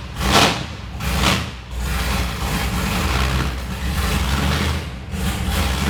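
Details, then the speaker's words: Dan Gurney's classic Chevrolet Impala V8, freshly restored, first start before Silverstone return with no silencers: loud open exhaust catches, revs hard twice, settles to lumpy strong idle. Healthy. "Wow, I think we might need silencers when we've done the revival. That is absolutely mega, isn't it?"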